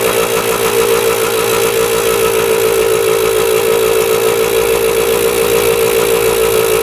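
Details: 1977 Kawasaki KE100 two-stroke enduro after carb float change, running without air filter: even crackly steady idle, no misses or surging, no top-end knock, bottom end sounds healthy.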